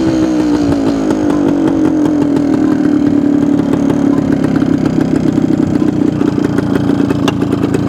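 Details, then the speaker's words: 1972 Suzuki TS250 two-stroke after fuel delivery fix with a 170 jet fitted: revs up cleanly and settles back with a crisp, even beat and no stumble, more responsive; normal running. "sounds like we got our problem fixed"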